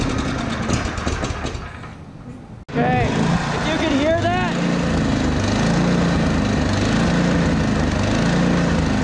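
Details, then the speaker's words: Yard Machines 8hp two-stage snowblower, long unserviced, about 45 psi compression, very low oil: single-cylinder engine speed surges and sags, hunting; clogged carburetor idle circuit suspected, carb to be removed and cleaned. "okay so if you hear the rpms they're hunting that means that the carb is clogged the idle circuit most likely is clogged"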